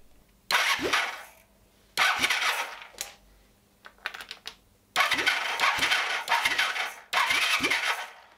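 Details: 1978 Honda CB400T, not run for a very long time: four bursts of steady starter cranking with oil pressure but no firing; no spark, kill switch suspected.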